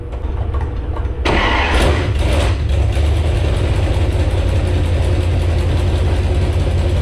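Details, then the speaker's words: Jeep Grand Cherokee Magnum engine with 440 flywheel, drag race build, first fire-up after fitting cooling, ignition and fuel systems with untuned carburetor: brief crank, catches at once, settles to an even steady idle, no flywheel vibration when revved; healthy start. "I think it's working. It runs. Actually, the other thing I noticed is I revved it up a little bit and held it. I didn't feel any weird vibration from the flywheel, which is one of my big concerns. So that sounds pretty good."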